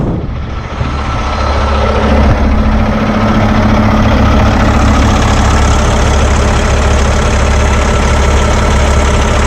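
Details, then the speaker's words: Paccar X15 truck diesel just after a fuel filter change and priming, started on the first try: smooth, steady low idle with even firing and no misses or hunting. "I like to just let it idle I don't go giving it throttle and in doing all that and just let her run for good ten minutes or whatever"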